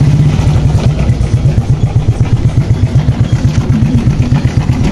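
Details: Honda Wave 100 small motorcycle engine idling after sitting unused while the owner was abroad: a loose, clattery low rattle on its pulse from a worn bearing; a torn oil seal was also found.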